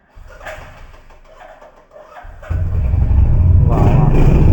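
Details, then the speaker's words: Used 2023 single-cylinder motorcycle with dual ABS at a second-hand bike shop, started for buyers: starter whirrs briefly, then it fires and settles into a steady, even thump with no knocks or rattles; normal start and idle. "মানে দাদা আগুন ধরিয়ে দিচ্ছে পুরা একদম দেখেছো খালি সাউন্ডটা শোনো"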